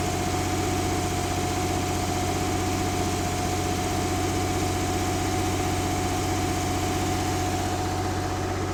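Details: 1970s Mercruiser sterndrive (slight float drip) being winterized, after a little throttle: a smooth, regular idle pulse at constant speed with no tapping or stumbling; warming up with oil pressure and charging good; normal warm idle.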